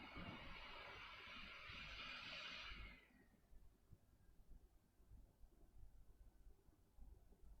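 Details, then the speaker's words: Toshiba Satellite C55 laptop with no POST, powered on with battery out on charger: faint fan hiss ramps up, holds about three seconds, then winds down near silent, repeatedly; power cycling traced to a corrupted BIOS chip, fixed by reprogramming it. "sounds like it's doing exactly the same thing with the fan ramping up and then down again"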